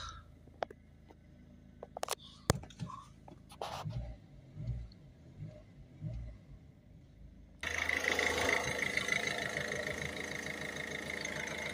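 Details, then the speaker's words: Ford Focus C-Max 1.6 TDCi diesel right after alternator replacement: clicks, then engine fires and settles into steady, even idle with no knocks or whine; alternator confirmed charging, idling to recharge battery. "so we're just going to let her idle for a couple of minutes get some charge back into both the battery and the Boost back there"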